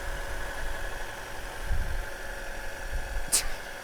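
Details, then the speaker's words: 2000 Honda Civic hatchback (EK), 103,000 miles, started after sitting five years: steady, even low idle with no knocks, misses or whine, one brief click near the end; running perfectly fine, normal idle. "obviously i can't drive the car right now to see how well the brakes do but it i mean it's running perfectly fine"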